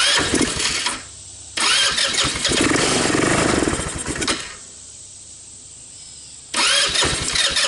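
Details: Tao Tao Bull 150 ATV with stale gas and trashed carburetor, started on starting fluid: catches and revs in short bursts, then dies; runs only on the fluid, carb drawing little or no fuel despite fuel reaching it.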